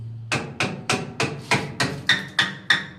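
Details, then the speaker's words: Bathroom wall tile tapped by hand: ten sharp taps about three a second, each ringing hollow instead of dull. There is no adhesive material behind the tile, unlike properly filled tiles, and it must be rectified. "ये देखो यहाँ पे पोलापन है, sound से ही अलग मालूम पड़ जाएगा आपको कि यहाँ पर कुछ मटेरियल नहीं है, ये बिल्कुल खाली है।"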